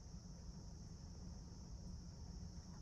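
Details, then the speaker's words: Used car pre-purchase check: engine started instantly, idling with AC and music off, quiet steady low hum from the engine bay with no ticking, knocking or unwanted noise; normal idle. "तो गाड़ी की जो engine की जो आवाज आनी चाहिए वो आवाज आ रही है, कोई भी अनवांटेड नॉइज है नहीं आ रही"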